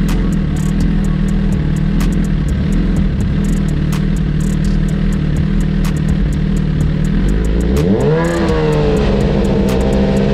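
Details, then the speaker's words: 2009 Suzuki GSX-R1000 running on its original tank and fuel pump: rough, uneven drone, then revs climb unsteadily and sag back when the pump's second stage fails to work, usually bogging out; fuel pump failure causing engine bog. "when the fuel pump goes into the second stage it's not working this is what we get sometimes it goes up most time it'll fog out"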